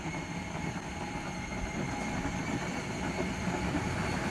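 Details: Trax Viper ride-on power wheel converted from 16 V to 24 V with two 12 V batteries in series, full-speed street test: steady motor whine over rolling wheel rumble, no surging or cutting out; normal running.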